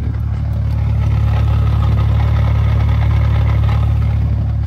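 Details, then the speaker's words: BMW 135i with 550i/335is clutch and lightweight flywheel, mid-400 hp range, idling with loads (AC, lights) on: light fast rattle over the low hum, heard mainly from the sides; idle gear rattle. "it's definitely more noticeable but i still think it's doable still definitely doable it's not super loud you mainly hear it on the sides left or right side don't really hear from the front"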